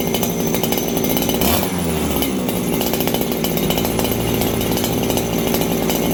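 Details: Farmertec 288 kit chainsaw, low-speed jet set to 1 1/4 turns: uneven idle with a small bobble and hunting buzz; low-speed mixture slightly lean.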